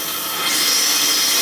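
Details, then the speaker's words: Toilet tank refilling on its own about every 5 minutes under high water pressure; steady high hiss of water rushing in as a bent flapper fails to seal, causing a slow leak and phantom refill. "Got a lot of water pressure down here. So every so often you hear it fill. You hear it 5 minutes. Every 5 minutes."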